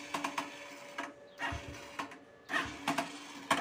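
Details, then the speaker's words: Italika RC 180 motorcycle with a third-gear gearbox fault; repeated ratchety clicks in bursts with thin ringing tone from the starter area, mechanic suspects the starter bendix is slipping and not engaging properly. "aparte de lo de la velocidad pues yo creo que también tiene como que problemas con el bendix porque ya no está está arrastrando bien"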